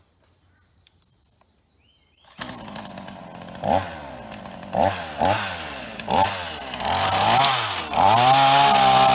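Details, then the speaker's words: Ross two-stroke chainsaw, formerly dead, fixed with a new heavy-duty vacuum hose, cutting dead privet: a light burble at idle, then hard revs into repeated cuts. Pitch dips under load and recovers cleanly, with no leaks. "Well, it ate all that up for breakfast. No trouble at all."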